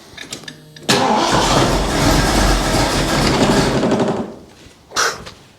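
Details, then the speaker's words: 1975 Bricklin SV-1 with a Ford engine, low mileage, original owner, no driveshaft, on blocks, first start just after connecting the coil; possible frozen water in the block: catches after a short crank, runs lumpy and dies. Rough-running misfire; owner suspects a bad vacuum leak. "It runs poorly. Just 4x4 blocks so I don't kill myself. Ooh, she's got a little bit of a miss and whatnot, but she does something."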